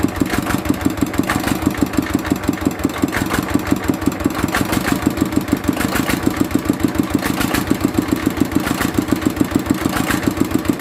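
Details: Mitsubishi single-cylinder diesel idling after repair of fuel leaking into the oil sump and white smoke (pump plunger, valve and seal replaced): even chug of about five beats a second, no misses or extra knocks; normal idle.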